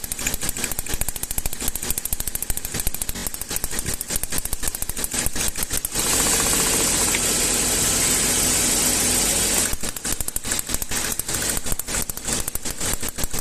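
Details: Gasoline Toyota engine with pinging (cascabeleo) and strong engine tapping: sharp, rapid metallic tapping about 160 a minute, washing out when revved. Ignition tester shows dropouts and poor combustion, indicating current leakage at plug cables. Coil output towers found damaged.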